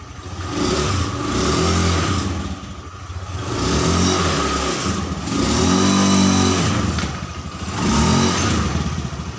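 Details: Honda Scoopy FI scooter CVT; earlier it was rough and sluggish at low RPM. It revs up and settles in smooth swells every few seconds with no gritty sound; the drive now runs clean and responsive.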